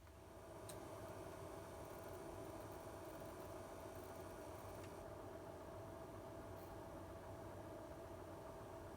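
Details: PlayStation 5 while playing PS5 games and switching to the home menu: faint, steady high-pitched buzzy whine over a low hum; power supply coil whine, owner believes all PS5 units have it, barely heard with PS4 games.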